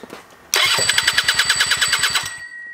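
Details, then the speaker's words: Rebuilt scooter two-stroke (old parts reused) at first start, now grounded to the chassis, no tank. Sharp rapid popping at about eight pulses a second for two seconds, then dies: engine firing on cranking. "cool so definitely sounds like it's firing which means it might be time to actually hook the fuel tank up to it"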